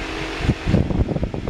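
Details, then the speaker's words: 1951 Ford F1 truck cabin: small auxiliary electric fan spinning with a steady low hum and a few soft bumps, running evenly; fan works normally while the blower isn't working. "and then this is a little fan out here which also works"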